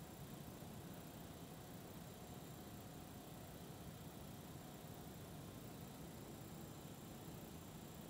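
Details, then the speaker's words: Oil-fired metal melting furnace of Colin Peck design, freshly painted, during a drying cycle while running too rich and smoky: steady, low, even roar that grows louder as the forced-air volume is increased. "what I could do is turn up the volume of air so you can hear it just got louder but now we got more air going inside so it should help clean up the smoke"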